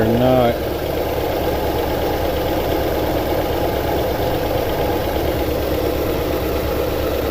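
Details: 2009 Toyota Tundra 5.7L V8 at idle with codes P0300, P0305, P0307, misfire counts climbing fast, 4Lo and VSC/traction lights flashing: a steady, lumpy idle with an uneven low beat under the exhaust drone, a misfiring rough idle.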